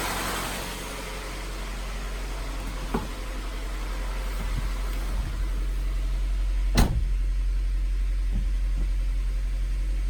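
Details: Honda CR-V idling after putting the gaskets back on and an oil change: a steady, smooth low idle over about ten seconds with a couple of light clicks and no skips; the previous cold misfire is gone.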